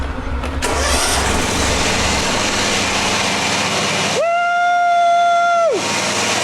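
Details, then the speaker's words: John Deere X304 four-wheel-steer riding mower after replacing the slipping drive pulley that caused a grinding noise: engine cranks, catches and runs evenly with no grinding. The mower is running normally. "Smooth as glass. No more grinding noise because of that pulley slipping"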